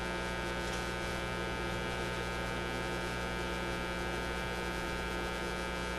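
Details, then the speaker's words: Motorola MK-56R five-tube AA5 radio on about 100 volts: steady low mains hum from the speaker caused by a failed filter capacitor; radio section also cutting out, suspected bad solder connection. "still hear it now that hum you're hearing is coming because this capacitor is shot we got we got to put in some more capacitors easy easy job"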